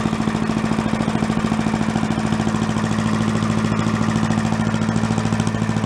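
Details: Yard-sale commercial walk-behind leaf blower, small two-stroke, bought not running with suspected carburetor problems, now run on the ground after repair to check smoke: crisp, regular putter at steady speed, even pulses, no stumbling; normal running.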